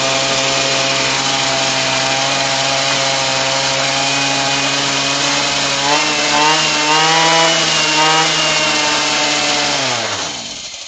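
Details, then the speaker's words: Apparently a Razor 43cc two-stroke gas go-kart/scooter engine, free rebuild; high buzzy note wavering and surging then winding down, shaking badly; rough running, heavy vibration, owner suspects mixture too rich or lean, adjustment pending. "All right. Not too shabby. It's just shaking so bad."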